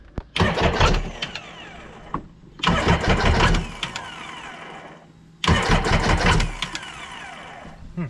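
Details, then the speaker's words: 2005 Sea-Doo supercharged jetski with new engine and new starter: three cranking bursts of a few seconds, engine turning but never catching; starter switch suspected. "I think the starter switch, like the starter was bad because the starter would not even crank this motor with at all, so that was part of the issue."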